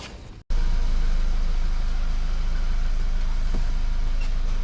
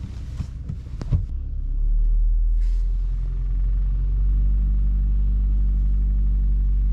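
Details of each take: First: VW Golf Mk5, 50,000 km, after fixing a rattle caused by fuel lines moving inside the frame (secured with cable ties): steady, clean engine at raised revs, rattle gone. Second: VW Golf V (Mk5), 50,000 km: the engine starts and settles into a steady low idle with a faint rattle from inside on the right. Loose fuel lines, after a shop fuel-filter change, tap the frame/body; fixed with zip ties.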